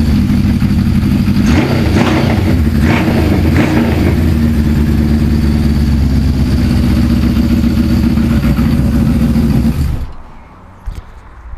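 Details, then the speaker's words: Suzuki GS550 cafe racer, previously on three cylinders with cylinder 3 cold, after carburettor strip; smooth even four-cylinder note through throttle blips then shutdown; all cylinders firing, normal running. "that sounds bloody good"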